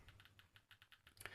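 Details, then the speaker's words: DP-5V military dosimeter in control mode with its built-in check source over the sensor window: irregular sharp clicks, roughly eight per second, over a quiet background, the crackling of increased radiation. "transfer the control source to our window and hear this kind of crackling sound. This is the sound of an already increased radioactive background."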